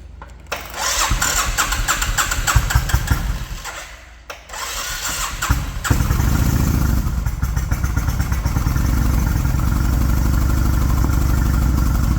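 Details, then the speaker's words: 2004 Suzuki Intruder 1400 V-twin, 7,372 miles, after new fuel lines, used rear carb, carb rebuild and K&N filters, owner suspects slightly lean: cranks a while, catches, settles into deep steady loping idle, no misses; normal start and idle. "She's running good. Sounds healthy."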